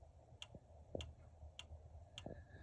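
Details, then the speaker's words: Bailey Pageant caravan power supply unit (owner believes it is the PSU/charger) heard up close: light, even clicking about every 0.6 s over a low hum; owner suspects a PSU fault, insufficient current or a damaged cable, unconfirmed. "Managed to source this little number, I believe to be the PSU. If you can hear that, it's clicking,"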